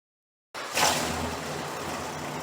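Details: 1968 Chrysler 300 with a 440 V8 and a replacement used carburetor, started after a loose spark plug wire was reconnected. It catches quickly after a short crank, flares once, then settles into a steady, even idle. It runs better now on all 8 cylinders: normal idle.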